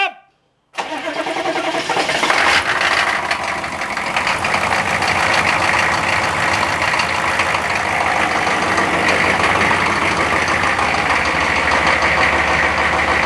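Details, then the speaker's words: Cold-start crank, block heater plugged in since morning, above freezing with rain: engine catches into a fast idle with a loud metallic rattle over the top; source not identified. "Quite the rattle. Oh, oh, oh, oh, oh. What a friggin' rattle that was."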